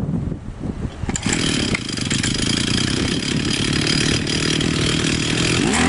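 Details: Profi two-stroke trimmer that would not start after winter, after its carburetor was cleaned and flushed: catches after a second of cranking and holds a high, steady buzzing rev without stumbling; running normally after the repair.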